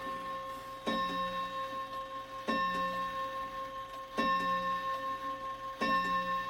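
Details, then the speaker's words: Shanghai 555 clock after adjusting the chime upright and packing the movement screw holes with sawdust: clean bell strokes evenly spaced about every 1.6 seconds striking 11, no skips or clatter; strike correct. "Good clock, good clock. We'll do one more, just to make sure."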